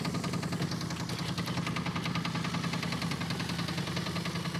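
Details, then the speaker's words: Bruiser Wagon V8, suspected gunky stuck lifters: deep loping idle with a hard knock repeating about two to three times a second; heavy internal engine knock, motor judged finished. "Oh, easy with the brakes now. Brakes work. That motor's toast, man."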